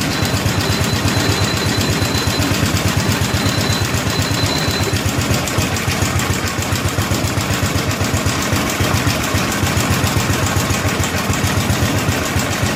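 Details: 1964 Cushman Scotsman golf cart single-cylinder, governor disconnected: putters steadily about four beats a second with slightly uneven rhythm while carburetor adjustment screws are tuned.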